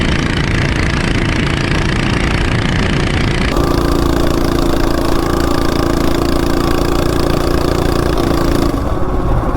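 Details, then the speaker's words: Coleman CT200U-EX minibike with a newly installed 420cc big block, straight-chain clutch and 40 sprocket, started on choke: a loud, steady single-cylinder thump with no knocks. Engine runs well, but the clutch can be smelled. Normal engine running. "Yeah, the engine runs really good. But I can smell that clutch. It does not like it."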